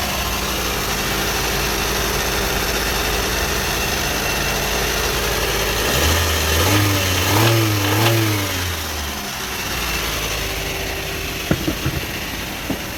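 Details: Toyota automatic gearbox after repair (previously wouldn't engage R or D, D took up late with a jolt): engine idles evenly, revs up and settles with no clunk, flare or slip; gear now engages properly.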